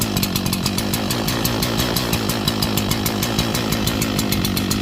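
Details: Echo CS-4910 chainsaw after cold start at about 2° with -10 wind chill, choke off, warming up: loping, uneven two-stroke idle about six to seven pulses a second; lopey idle when cold.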